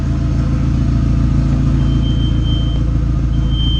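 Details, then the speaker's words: Audi with a catless turbo downpipe fitted, idling: deep, raw booming idle with a harsh rasp and no muffling at all, mean but far too loud; open catless downpipe exhaust. Oil sensor is disconnected but the engine is not running hot. "The turbo this sounds nasty, guys. It sounds mean, but it's way too loud."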